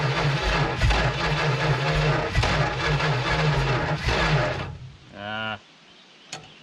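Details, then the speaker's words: 1970 Dodge Super Bee big block rescued from junkyard, hot-wired, fuel poured in, idle turned up: uneven labouring starter churn for several seconds with no catch; sparking but not firing, owner suspects weak battery. "this battery might be getting weak come on fire up i know you're trying"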